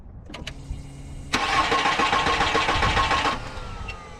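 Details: Car with a dead battery, AUXITO 3500A jump starter attached and green light on: starter cranks briskly for about two seconds with a rhythmic churn but the engine never fires, then stops. Cranks but does not start; it starts on the next try.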